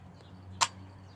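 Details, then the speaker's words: Polaroid 250 camera fired in sunlight with the button held until the exposure finishes; the two shutter clicks come very fast, almost as one snap. Normal shutter operation. "Now, if you listen, you'll get the 2 clicks. They'll be very fast, though. That was the 2 clicks."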